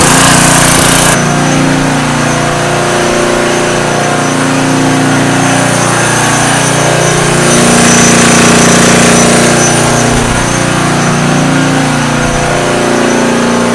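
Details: Homemade tri-fuel conversion on a small single-cylinder engine, new petcock and inline fuel filter fitted, started on full choke with propane off: catches and settles into a quick, even putter, steady pitch, no misses; normal running.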